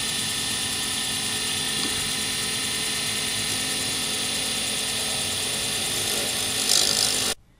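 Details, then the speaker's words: Wood lathe turning a D-shaped circuit board blank for a Sierra pen, ends pre-turned to bushing size: steady, even hiss of the tool shaving the blank, no chatter or catching; a clean cut with very little noise and shavings in ribbons. "when you're turning is going well you will find that there is very little noise and that everything is coming off in ribbons"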